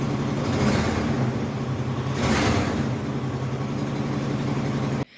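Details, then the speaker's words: 2006 car with 190,000 miles running with a crazy misfire: uneven, stumbling low chuff, about four irregular pulses a second, sounding like a broken exhaust manifold; tune-up planned with wires, single ignition coil, spark plugs. "it's a 06 with 190 000 miles on it and it's got a crazy misfire it sounds like one of those f-150s with the broken exhaust manifolds and it's just it doesn't sound good and it's running like crap"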